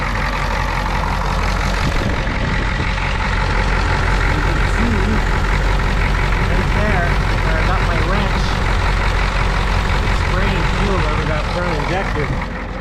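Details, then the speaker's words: RV diesel engine at idle: uneven, loping chug with misfire; fuel on top of motor from leaking threaded fitting at number 1 high-pressure injector line. "When we got to a red light here, the engine seemed a little bit rough, like the idle was a little bit chuggy. And so I pulled off to the side here to check it out, and I see a bit of fuel on this side of the motor on top."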